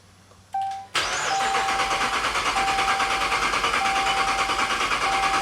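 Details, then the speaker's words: Supercharged Dodge Charger Pursuit build, start attempt: starter spins the engine quickly and evenly, about three pulses a second, but it never fires; plenty of fuel at the tailpipe, so missing spark is suspected. Cranks, won't start. "It's turning over fast like it's not getting fuel."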